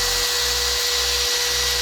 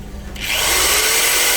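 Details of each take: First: Angle grinder powered by the inverter installed in a Suzuki Splash: steady high-pitched whir, clean tone, smoother than on the cheap inverter with no hum or roughness; normal running. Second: Cheap modified-sine car inverter, about 207 V at standby, running an electric drill: rising whir settling to a steady tone as the voltage drops sharply, inverter sags badly under drill load.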